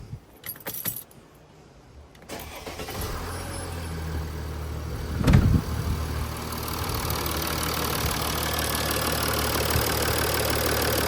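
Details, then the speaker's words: 2012 Mercedes S350d V6 diesel started after replacing the Mann air filters, engine cover still off: brief crank, fires and settles into a smooth, steady idle with no knocks or misses; normal. "So we could just start the engine before we close everything, just to make sure everything sounds good and it's running smoothly."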